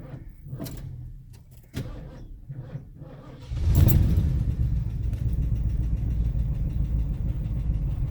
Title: Another cold hard start on the 1977 Thunderbird